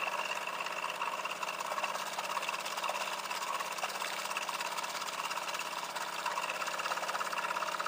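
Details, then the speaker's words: Water pump system with PWM-controlled motor at about half speed, after leak repair: even motor hum with quick irregular clicking about twice a second as air bubbles are pushed through the pump line. "You can hear it running the air bubbles through the system right now."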